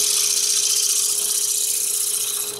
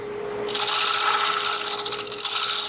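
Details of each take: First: Spalted maple bowl, dried over 10 years and partly punky, on the lathe: smooth hiss of the tool cutting deep inside the bowl over a steady hum of the spinning bowl, no rattle or buzz; a clean, chatter-free cut. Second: Turning a thin-rimmed spalted maple bowl on a lathe: hissy cutting with fast rattling buzz and ringing tone as the rim vibrates/resonates against the tool, risking an unclean cut, a catch, and the bowl breaking apart.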